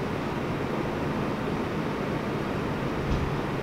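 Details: Mini split blower motor on high after replacing its dried-out 608 motor bearings (about 10 years old), previously loud: steady even rush of air, no grinding or squeal; normal operation.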